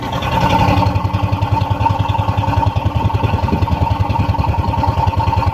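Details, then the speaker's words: Overheated Ford Zetec Rocam 1.6 8V with blown head gasket and water in the oil, exhaust heard at idle; lumpy uneven chuff running like two or three cylinders, low power, stalls on acceleration; misfire. "el motor como a tres cilindros o dos cilindros bueno la cosa es que el motor está inestable y tiene poca fuerza se apaga cuando tú lo aceleras si tiene ese ruido"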